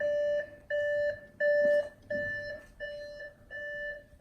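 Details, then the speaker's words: Wrecked 2013 Audi S6 rebuild during a failed start attempt: steady two-tone chime repeating about every 0.7 seconds in a quiet cabin; door-open warning. "beeping? Doors open."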